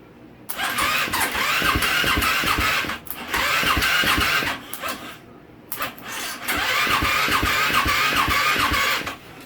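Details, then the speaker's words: 2015 KTM 450 SXF with dead starter button, battery 12.35 V, choke on, starter relay jumped: three spells of fast, even cranking about two and a half beats a second without firing. "even with a blown fuse when you jump the starter relay it will turn the starter over"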